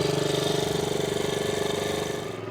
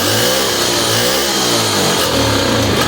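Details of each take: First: 1963 Honda Sport 50 (CA110) single pulling away on first ride in years: quick, even putter with steady beat, no misses or knocks; still needs tuning dialed in but runs healthy. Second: 1963 Honda Sport 50 (CA110) unused for years, carburetor reassembled, plug had been fouled, on choke: the small single buzzes unevenly for a few seconds, then fades and stalls; owner unsure whether the plug fouling came from poured gas or the carb.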